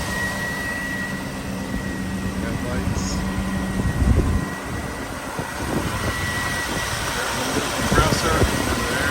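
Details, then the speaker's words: 1995 Chevrolet Suburban 2500, 454 fuel-injected V8, automatic, 4WD, idling: low, even rumble with no knocks, misses or squeals over outdoor background; the big-block idles smoothly and sounds good. "I'll show you the lights and take a listen to that 454 fuel injected. Sounds good."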